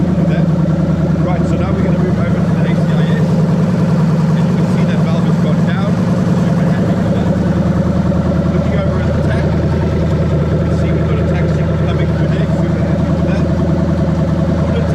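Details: Lexus LS430 3UZ-FE VVT-i V8 with new engine harness and mixed 5-speed ECU, just started, warning lights off: smooth even idle with steady deep rumble, no misses, knocks or ticks; healthy.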